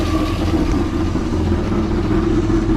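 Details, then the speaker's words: Freshly rebuilt 6.0 LS LQ4 V8 with a stage 1 truck cam, in a 1986 Suburban C20, at first start-up idle, not yet warm: steady, slightly lumpy rumble, valve train sounds good, only an exhaust leak. "Aside from the exhaust leak, it sounds good. I'll let it get up to temperature and Valve train sounds good."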